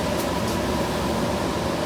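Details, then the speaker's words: Miller trailer-house furnace after blower repair, squirrel cage re-centered: even, steady air rush with low hum, no rubbing, squeal or rattle; blowing harder than the previous repaired blower, normal. "much harder than even the repaired one that i had in there before so i'm good with that i like it"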